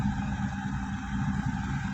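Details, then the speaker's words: New Mahindra Supro Profit Truck BS6 diesel, which would not start until empty DEF was refilled, now starting first crank: low steady idle with even clatter, no stumbling; running normally. "ಒಂದೇ shelf ಗೆ start ಆಗ್ತಾ ಇದೆ ಗಾಡಿ ನೋಡಿ ಡಪ್ಪ oil ಹಾಕಿಸಿ start ಆಯ್ತು"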